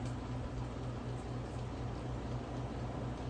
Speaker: And yeah, she's whipping. This thing is strong.